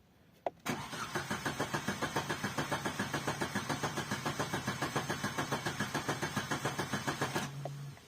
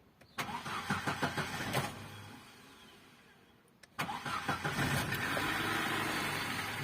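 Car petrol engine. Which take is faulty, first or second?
first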